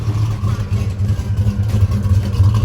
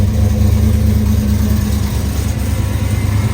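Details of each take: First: Truck with a 6.2 V8 swap, two years after install, not yet tuned, oil pressure over 40 psi, known exhaust leak at a clamp missing its nut: deep, even rumble with a steady beat, no knocks or misses; sounds healthy. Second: Crew cab truck with a 6.2 V8 swap, still untuned and slightly hard to start: deep, fairly even idle. The choppy cam lope it used to have is missing.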